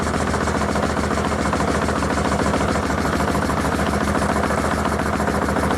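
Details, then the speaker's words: 1981 Honda CB750K, parts bike sitting 20+ years, running on a test carb with non-working choke at about 1000 rpm: choppy, stuttering exhaust with uneven pulse; owner believes it isn't firing on all four cylinders. "1000 rpm it doesn't sound right i don't believe it runs on all four but it runs for now"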